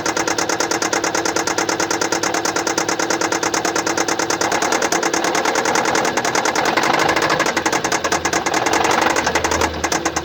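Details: 2015 Kia Sportage SL, 2.0 petrol G4KD (1998 cm³, 122 kW/166 PS), 118,709 km, at steady idle with a fast, light tick about three a second, uneven in strength; diagnosed as a defective injector.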